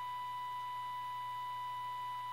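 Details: 1932 Tiffany Tone Model 5 radio (complaint: lights up, no sound) after a capacitor recap and a tube-pin fix, fed about 465 kHz from a signal generator for IF alignment: a clean, steady, loud tone with no crackle, dropout or hum; working normally.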